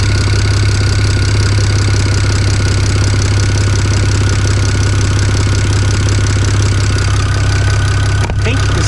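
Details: Built BMW N54 335i at idle after exhaust reassembly, owner chasing a suspected turbo exhaust leak: steady deep exhaust pulses near 167 a minute with no hiss or ticking, though he still smells combustion and hears a funny noise.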